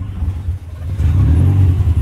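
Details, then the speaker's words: Honda Civic (EK) after a timing belt and tensioner replacement. Short deep rumble swells cleanly as revs climb, with no knocking or slapping: normal revving, engine not damaged. "Yep. It sounds solid. It doesn't sound like you fucked the engine up."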